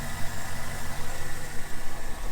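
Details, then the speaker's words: Corvette at auction walkaround, check engine light on, started right up: steady, even smooth idle with no misses, stumbles or knocks; engine sounds healthy, though a wire loom is missing. "all right motor's running nice and smooth you got a wire loom missing on that i don't know why"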